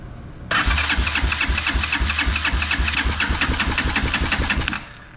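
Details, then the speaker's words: Motorcycle in neutral, key on, fuel turned on: starter churns steadily about four seconds, roughly four beats a second, never fires. Cranks but won't start; no fuel comes through unless the line is removed, and a kinked fuel line is suspected. "all right here's the problem the fuel is on but there's no fuel coming through unless I take this line off"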